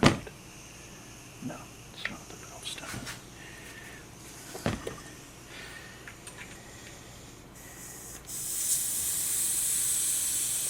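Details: Bicycle inner tube: handling clicks then steady sharp hiss of air escaping around the base of the valve stem, an almost impossible spot to patch; new tube needed.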